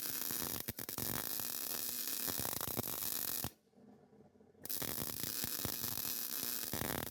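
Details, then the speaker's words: Hobart 110-volt MIG welder on a 1940 Chevy build: even, steady crackling sizzle with a short pause mid-run, then the same smooth frying sound; well-tuned arc laying a good bead. "Did you hear how that Hobart was singing right there? I did. That sounded like Billy Strings."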